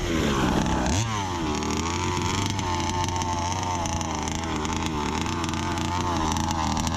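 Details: Brand-new Rofun Power 32cc two-stroke in a Baja 5B RC car, outdoor run: buzz rises and falls crisply with the throttle, no sag or bogging at the top, pulling very strong; normal revving.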